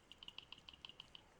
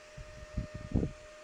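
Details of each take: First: Mini heater's original fan gives light, dry, uneven ticks several times a second as it spins, probably the cause of the heater's rattle at high speed. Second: Replacement fan for a mini heater, bench-tested on a motorcycle battery with alligator clips: steady, even hum with no rattling or scraping, only handling bumps; normal fan running.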